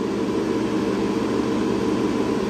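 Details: Air-cooled dual 2.7 GHz Power Mac G5 after freezing in Open Firmware during CPU calibration: constant loud rushing whoosh of cooling fans stuck at full speed; owner suspects corrosion on a CPU.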